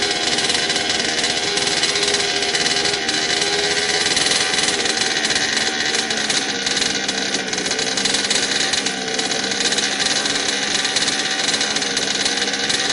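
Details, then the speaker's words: HPI Baja 5T RC car, a Craigslist buy, on first start after a carb rebuild, new fuel lines and a new pull start, pinion gear not yet fitted. The two-stroke screams at a steady high buzz and never settles to a slow idle. Idle is too high and the carb needs adjusting. "still need to put on the pigeon gear adjust the carburetor a little bit and bring that idle down but aside from that it started right up"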